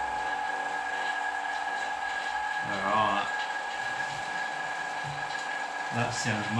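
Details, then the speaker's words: Electric vacuum pump drawing down a carbon-fibre infusion setup after an o-ring was reseated: a steady mid-pitched hum with an even tone and brief handling noises. The pump runs normally, though a small leak remains. "hopefully the pump isn't too noisy on the video if it is I might have to move it outside for future"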